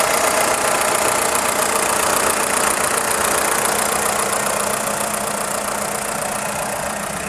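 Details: VW Polo 6N2 1.4i 16V petrol: quick, even light clacking from the engine block at idle, about four per second, stopping on acceleration; engine revs well with strong engine braking; source unknown.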